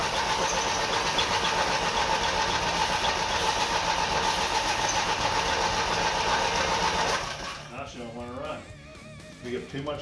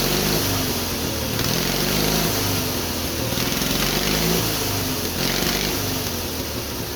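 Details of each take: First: Twin-cylinder Briggs & Stratton engine on a mini bike, first start after priming with fuel: steady cranking about four beats a second for seven seconds, briefly seems to catch, then dies away; cranks but won't stay running, cause unconfirmed. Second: Twin-cylinder Briggs & Stratton engine on a mini bike, first start after a quick carburetor rebuild, homemade black steel pipe exhaust, hard lazy crank; steady putter at idle, quick throttle blips rise and settle cleanly; runs evenly and healthy.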